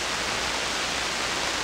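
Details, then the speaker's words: SP-600 communications receiver with rebuilt RF deck installed, low 92-volt supply, heard on headphones: only a steady, even hiss with no stations or tones, receiver doing nothing; a control had been left in a neutral position. "Come on, come on. Nothing. Shame. Why? Why are you doing nothing?"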